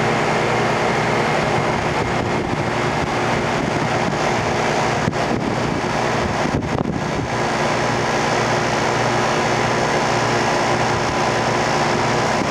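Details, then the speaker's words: Rheem Classic central air conditioner, first startup of 2016 on a warm day, heard from a distance: steady whooshing fan and even compressor hum settling without clanks or buzzing; outdoor unit starts and runs normally. "I couldn't quite tell exactly because I wasn't near it, but I did sort of hear the start up and it sounded absolutely golden to me from where I was. So, it looks like that one works pretty nicely."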